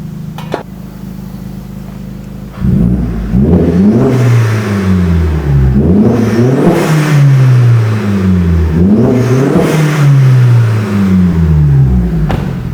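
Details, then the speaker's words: Vauxhall Astra H VXR with rear back box deleted, Cobra decat downpipe and mid-section, before exhaust work: deep booming drone swelling with each rev, a very loud low rumble; far too loud, and the owner wants it quieter. "we'll get a little rev anyway I think it sounds quite nice problem is he wants it quieter so that's exactly what we're going to do for him"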